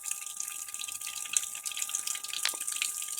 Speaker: that humming is coming from here that means there's water passing by the diaphragm and it's causing vibration here